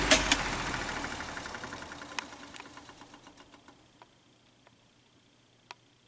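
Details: Fan motor coasting down: sharp ticks spacing out with scratchy rub behind; excess play lets the rotor push on the back of the motor casing, rubbing at the bearing, likely from a botched earlier disassembly; motor not yet opened, unconfirmed.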